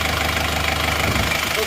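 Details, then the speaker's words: Chevrolet Trooper diesel after engine rebuild, warm at 75°C with thermostat fitted: steady, even low clatter at idle, smooth and crisp, no visible smoke; healthy. "ini suaranya halus dan renyah dari sini gak kelihatan asap juga"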